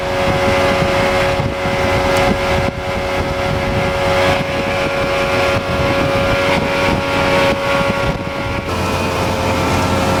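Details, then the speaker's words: Outboard cruising on test run after blown-motor repair, fitted with a prop of unknown pitch (old 3-blade 17 pitch did 44 mph); steady two-stroke drone, even pitch over wind and hull noise, no misses or knocks; healthy. "so we just got back from the test run the boat runs excellent no issues motor runs super could it be more happier"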